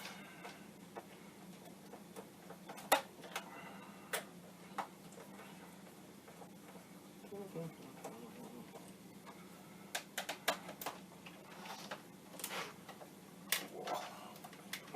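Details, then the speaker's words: Commodore 1541 disk drive formatting a disk during RTC copying: quiet, irregular sharp ticks over a faint hum as the head steps across tracks; normal formatting. "yes that sounds like the disk is being formatted"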